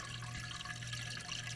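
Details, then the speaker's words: KitchenAid/Whirlpool/Kenmore refrigerator water dispenser after water valve replacement. A steady gush of water over a low fridge hum, with slight sputter as the last air clears. The dispenser is working and flowing normally. "there's the water so it's since it's dispensing it's working we've got a mess going on there and so water's coming out that's a good sign"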